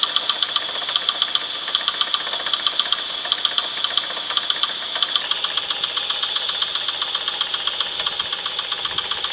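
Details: 1996 Chevrolet S10 4x2, 2.2L I4 MPI, 146,300 miles, idling: sharp metallic ticking knock about once per second over smooth idle; internal knock, source unknown, engine for sale for parts.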